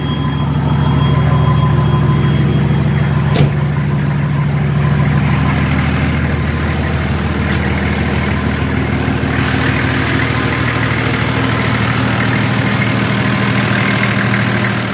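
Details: Nissan Patrol Y60 TD42 turbo diesel just after first start following 9 months' storage; deep, steady diesel clatter at an even idle, no hunting, knocks or misses; normal diesel idle.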